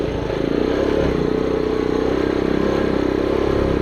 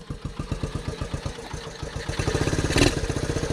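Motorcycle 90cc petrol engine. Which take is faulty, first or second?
second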